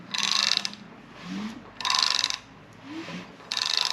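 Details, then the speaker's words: Small-block Chevy 305 being assembled for a '57 Bel Air, with rockers set near zero lash and the crank turned slowly by hand: short hissing spurts with light clicks about every 1.5 s as trapped air bleeds from the hydraulic lifters. "the air coming out of some of the um and like I said before I can actually see some air bubbles around the lifters themselves so I know that we're effectively bleeding these off"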